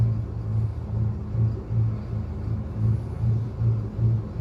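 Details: 1999 Ford F350 V10 low idle rising and falling about two and a half times a second with an uneven, stumbling beat: misfire and idle surge.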